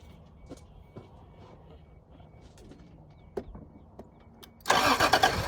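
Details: 1986 Toyota Supra, owner suspects no fuel or a bad fuel pump: scattered clicks, then the starter churns loudly without the engine catching; cranks but won't fire, cause unconfirmed.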